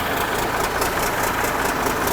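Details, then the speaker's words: 1963 Mack F600 diesel fired up cold, starter valve suspected faulty: settles into an even, quick idle beat with no misses or knocks, turbo whistle audible; normal healthy idle while oil pressure builds. "you know she's happy there so yeah beautiful absolutely magnificent hear that turbo whistle"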